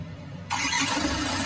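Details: 4JB1 engine after the starter was refitted to cure a no-start: quiet, then it catches at once and settles into a steady, even run; clean first-crank normal start.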